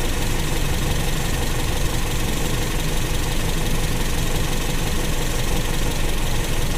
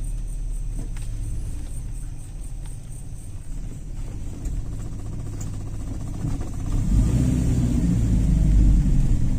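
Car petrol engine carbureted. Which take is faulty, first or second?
first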